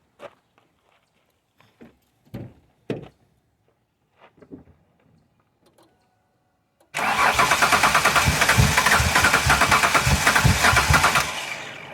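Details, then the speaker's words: Ford Windstar being revived, intake elbow smoked and vacuum port plugged, weak battery: quiet clicks, then even fairly quick cranking that keeps turning without catching; battery has some voltage but not enough, so jump start planned. "and that battery's got some voltage but not enough so we are going to use the monte carlo support vehicle"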